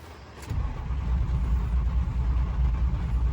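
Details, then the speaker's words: Ford 6.0 Powerstroke diesel, warm, long crank at about two beats a second that never fires. Cause unconfirmed; the tuner earlier showed ICP near 249.5, and an electrical issue is suspected. "Yeah, it's not gonna start."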